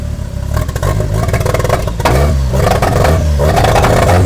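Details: 1989 Toyota Corolla small body, free-revving while warming up after backfiring: revs climb and fall with a ragged, uneven stumble and clatter through the exhaust instead of a clean pull; misfiring, electrical problem suspected.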